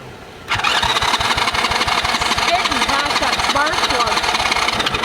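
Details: Kids quad that sat for years, ignition swapped from another quad, fuel poured into the plug hole, possibly flooded, choke on, plug only finger-tight: starter churns about three beats a second with no firing; no start, carb cleaning suspected.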